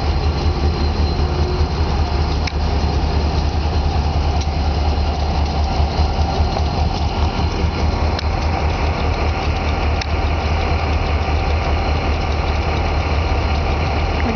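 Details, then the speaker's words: Diesel locomotive on the Berkshire Hills route, idling while switching cars: a low, steady rumble with sharp metallic clicks every couple of seconds. The source of the clicking is unknown. "that's quite a beautiful train engine isn't it you hear the clicking sound from the engine I don't know what makes that"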